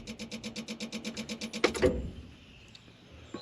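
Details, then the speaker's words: John Deere 190E excavator at key-on: rapid, even clicks about eight or nine a second for under two seconds, then stop. It is the throttle stepper motor pulsing; owner believes the ECM is fried, electronic throttle not working. Unconfirmed. "Well, that clicking corresponds back here to this here, which is called your stepper motor, which runs your throttle. So, when that's clicking, you can feel this motor pulsing."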